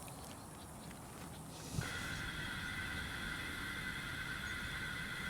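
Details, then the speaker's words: Slab leak detection on a water supply line: an even, high, steady hiss, softer here than at the last spot, so the leak sits on the previous line. "It's getting louder. It's getting louder. Definitely getting louder. And that one is screaming. Okay. So, what that tells me is I know the leak is here."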